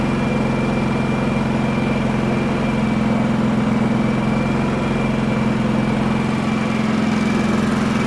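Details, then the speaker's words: Champion 4500 W dual-fuel inverter generator, previously non-running, covers off, eco mode, no load (60 Hz, 0 A, 122 V): steady even hum, no knocks, misses or hunting; runs really nice, normal idle. "I'm not very familiar with this thing at all. Seems to run really nice."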